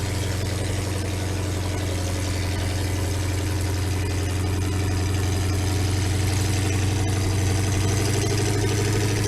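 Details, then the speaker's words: 350 small-block Chevy V8 in Linn tractor, started after two years sitting in about -8°C weather: steady, even low burble at idle with no misses, knocks or ticks; normal idle. "so we'll insert the video of it up and running right here down at the shop now and the Lin sounds good"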